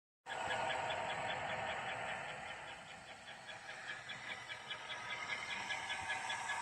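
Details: GM 5.3 V8 at about 220,000 miles, high thin chirps at idle, present for about 10,000 miles, unchanged with belt removed, isolated to top rear of engine (bellhousing suspected); not lifter tick; mostly gone after adding Marvel Mystery Oil, so internal.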